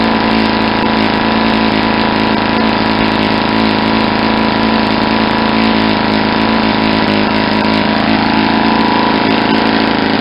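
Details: Saito 50 four-stroke model engine, first run after new ring and bearings, APC 11x7 prop, 10% Omega fuel, needle set very rich for run-in: constant-speed soft, burbling, uneven firing instead of crisp bark; over-rich mixture.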